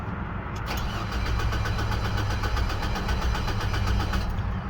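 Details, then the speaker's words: 2007 Hummer H3 after replacing the rear portion of the ignition switch and cleaning contacts, passlock light on then off: starter cranks at an even beat for several seconds but never fires; cranks, no start, fuel pump relay swap next. "again, still doesn't start."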